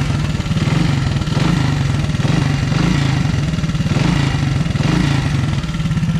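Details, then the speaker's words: Honda ATC 200S three-wheeler single-cylinder, after swapping a part to cure a top-end tapping noise (timing chain already adjusted): even beat swelling with throttle, only light valve tick left, tapping gone. Normal running. "I don't hear the noise anymore the only noise I hear is the valves a little bit but I don't hear the noise at"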